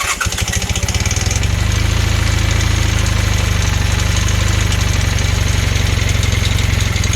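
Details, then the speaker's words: Honda Hondamatic 400 motorcycle, first run after 20+ years with cleaned carbs: it catches into a lumpy idle with a steady light ticking from the front top end, suspected valve tick; an intake valve is also sticking and popping out the carburetor. "runs but I'm hearing the top end ticking knocking"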